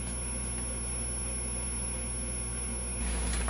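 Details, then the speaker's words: GE 810 vintage tube TV powered up during restoration with the horizontal output tube reinstalled; constant very high-pitched whine from the horizontal output (flyback) transformer singing over a quiet room. "I can hear that horizontal output Transformer really singing you can probably hear it too"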